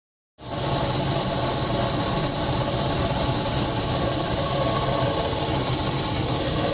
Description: Home warranty contractor came out and took $60 to look at our ac. Said it was the motor and that he would place an order for a new one that evening.